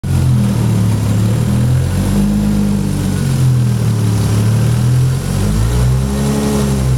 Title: Supra Motor Rod Knock